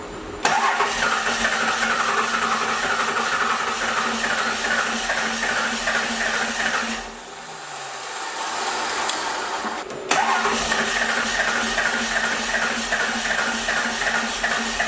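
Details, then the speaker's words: First-gen 12V Cummins diesel cranking with no start: a steady rhythmic churn, a pause, then more cranking without firing. The cause is a bad pump. "all right guys there's our problem bad pump"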